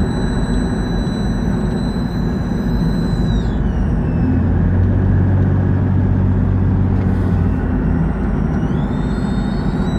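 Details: A thin, high whistle rides over a steady engine rumble, dropping away midway and then returning; owner suspects a vacuum leak, cause not confirmed.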